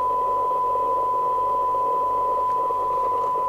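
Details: Rotel RVC220 (1981 Cybernet 134) UK FM CB radio after extensive repair, on a sensitivity test with a small generator signal (12 dB SINAD about 0.25 µV, 10 dB about 0.22 µV): steady 1 kHz tone cleanly over soft hiss, no dropouts; receiver normal at its threshold.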